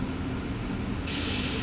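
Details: Newly installed furnace blower running: steady air rush with shrill buzzy high-pitched rattle cutting in and stopping briefly; caused by the manufacturer's manual left in the blower compartment, removed by the technician, not the filter.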